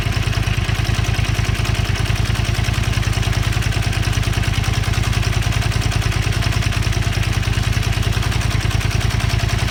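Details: Zelvis 250 at cold idle, steady pulsing beat around two hundred a minute; chain rattle suspected but not clearly heard; owner suspects slack cam chain tensioner; noise goes away when engine warms.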